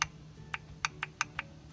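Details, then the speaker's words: Audi A4 A/C compressor N280 regulating valve tested with 12 volts from a transformer, A/C on full low and highest fan speed: six crisp, sharp clicks in about two seconds as power is applied; valve working normally. "whenever we apply the 12 volts from the transformer you'll hear it click"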